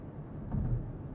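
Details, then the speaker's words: 2014 Porsche Cayenne after replacing the front differential with a failed pinion bearing, driving through gears under throttle and coasting: only low steady road rumble, no grinding, humming or whine; drivetrain healthy. "So, I'll let my foot off the throttle. We're just coasting and no sound. It's exactly how it should be in the interior of a Porsche Cayenne."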